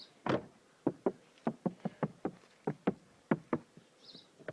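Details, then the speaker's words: Mazda 3 door handle after fix (door soundproofed, Madeleine tape in handle mount, grease on spring): crisp dry clicks, handle snaps back cleanly, no squeak or rattle. "одна ручка теперь не дребезжит не скрипит и всем удачи"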